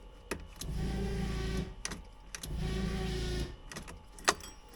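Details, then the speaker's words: 1979 Porsche 924 after fuel tank deep clean, key on: electric fuel pump buzzes in second-long runs with clicks between, a normal prime pressurising the fuel system before a leak check. "Maybe I'll pressure it up the system a couple of times here before I do that."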